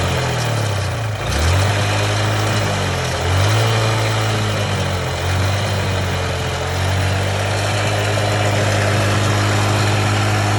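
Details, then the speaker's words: Steady idle with a light, uneven knock about four times a second over the low engine drone; mechanic attributes the knocking to a worn cam bearing needing urgent replacement, unconfirmed. "ఇదిగోండి ఇదిగో ఈ sound knocking sound అనేది తెలుస్తా ఉంది మనకి cam bearing అనేది మనకి sound తెలుస్తా ఉంది"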